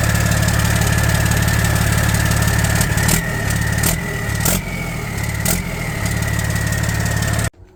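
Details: 1994 Kenworth T600 with 12.7L Detroit Series 60 diesel at steady, even low idle with a faint whistle, started to warm up after replacing leaking exhaust manifold gaskets and bolts and refitting turbo and downpipe; runs smooth, sounds healthy.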